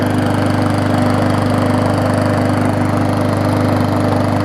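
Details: Neglected Bolens push mower with Briggs Classic engine after minor service with new oil and air filter, running to burn off smoke: even, rapid putter at steady speed, no misses, knocks or hunting; running healthily.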